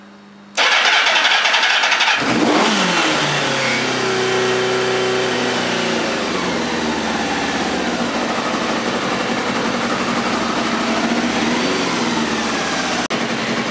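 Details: 2000 Kawasaki ZR-7 750cc four-stroke, freshly tuned with carbs cleaned and new plugs and wires, started with some choke: cranks briefly, catches cleanly, revs, then settles into a smooth, even idle with no knocks or misses; normal start and idle.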